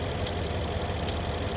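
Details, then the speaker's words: 2011 BMW X6 M V8 at idle, steady low rumble with uneven lumpy beat and occasional missed pulse, running a little rough; occasional rattle that sounds like a loose timing chain; misfire suspected. "Yeah, she's she's a she's running a little bit rough."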